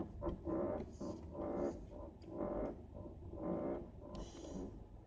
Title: Creaking noise